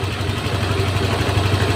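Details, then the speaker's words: Honda Vario 150 fuel-injected scooter with heavy fuel use and plug fouling, after TPS checks and the idle adjustment were restored: a steady, even, low idle with a smooth regular beat and no misses or knocks; it now runs normally. "kita hidupan lagi teman-eman langsamnya dia enak terdengar enak ya terdengar enak ya teman-teman Berarti untuk motor ini sudah normal"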